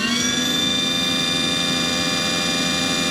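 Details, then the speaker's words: Aquahot 400D RV boiler after repairing the burner motor relay: a steady high whir at constant pitch as the blower motor now engages normally. Originally the motor would not come on at all; the burner lighting is still unconfirmed. "But I'm pretty sure that the fact that it's that it's the motor is engaging every time that what I did with the with the re relay was successful because that was the original problem. The motor wouldn't even come on."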